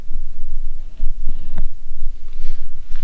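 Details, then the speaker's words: 1967 Triumph T100C off-road twin that would not start and blew its main fuse after a frame repaint, now running. Deep, lumpy idle throb with steady pulses, no knocks or misfires; normal idle. "that thing sounds so cool man"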